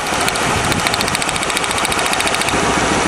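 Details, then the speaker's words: 1997 Lincoln Continental, plug wires pulled one at a time: lumpy idle with a regular pulsing miss; pulling this wire changes nothing, so this cylinder (number two) is dead; coil pack apparently not at fault, plug and compression next. "xactly the same as yesterday yeah you can hear that pulsing Miss so here we go"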